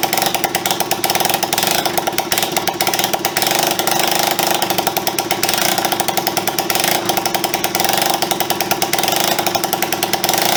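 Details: Honda CB125S after engine restoration, first run in years with carburettor and fuel system refitted, kick-started, timing possibly firing early: fast, even popping beat, picking up with throttle and settling back, no knocks or misses; runs properly.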